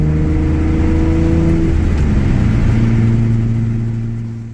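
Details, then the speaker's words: Mitsubishi Eclipse (Stratus/3000GT/Stealth platform) exhaust leak at the flex pipe, which has multiple finger-sized holes; loud raspy rumble that swells with revs then drops back, plus an odd idle the owner hasn't figured out yet. "there's multiple holes where you can stick your finger through it so that's why it sounds like it does it's got this weird idle too"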